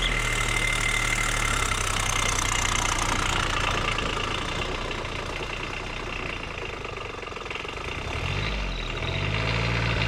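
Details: Custom diesel-swapped Power Wheels with CVT, full throttle climbing a steeper hill: diesel clatters hard, then low note sags and bogs under load; owner suspects it needs a bigger rear gear or softer CVT springs.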